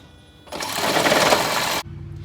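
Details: 2nd-gen (2004-2009) Toyota Prius "morning death rattle" after sitting overnight: harsh, fast metallic rattle for about a second at cold start, then a quiet hum.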